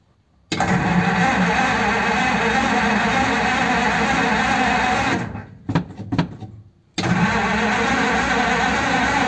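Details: 1933 5-window coupe, crusty flathead, parked nearly 3 years, choke on and pedal pumped: steady starter cranking about three turns a second with no catch or firing; no spark.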